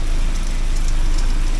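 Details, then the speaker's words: 1979 Porsche 924 with new motor mounts and adjusted fuel pressure, warming up with water temperatures of about 53–63°, spilled fluid smoking off the exhaust: deep, even four-cylinder rumble with no knocks; normal idle. "But look at that, that's uh the motor is happy to be sitting right. Thing warms right up, okay."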